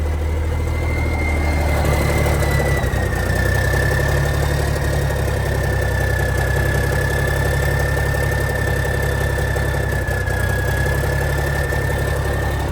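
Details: 1987 cabover truck diesel, first start in years on new batteries, cold weather, oil pressure about 40: even, deep rumble at steady idle with a faint constant high tone, no knocks or misses; normal healthy idle.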